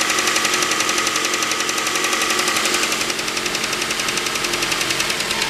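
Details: 2006 Mazda 3 BK 2.0 (LF engine), 150,000 km: light, regular metallic ticking about four times a second over a bright, steady idle; source of the tick not identified.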